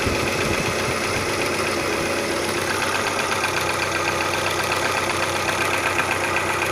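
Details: Audi 80 B3 1.8: a loud, steady idle with a fast, fairly even tapping knock through it, about four a second; the source is unknown. Engine knock.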